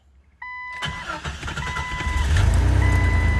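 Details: Jeep with crank-no-start after a blown fuse 11 (PCM/ECM) was found and replaced: a warning chime beeps, the starter turns briefly and the engine catches into a steady, even idle; starts normally, though the gauges still don't work.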